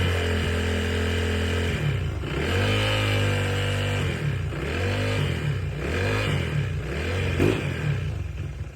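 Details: Honda PCX 160 scooter after servicing and refitting the center stand: clean throttle blips over a steady idle with no metallic rattle following the revs; the center stand rattle is fixed and the scooter sounds normal.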